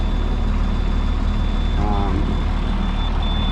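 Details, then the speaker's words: DT466 diesel ambulance conversion just cold-started at about 32°F after three weeks sitting. A high, steady warning beep sounds over the rumbling idle until the air brake pressure builds up. Low air pressure warning. "gonna beep until the air pressure comes up then we'll be good"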